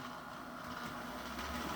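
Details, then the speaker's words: Bachmann GP40 Rio Grande DCC model locomotive running slowly: steady electric hum with fixed mid-pitch buzz, reportedly less noisy at higher speed; motor hum, cause unknown. "it is pretty pretty good and slow but you can still hear that noise"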